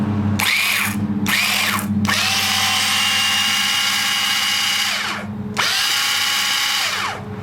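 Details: Electric starter motor for a 2-stroke Ryobi line trimmer, run off its battery on the bench: steady high motor whine that spins up, runs evenly for a few seconds and winds down; starter motor turns freely.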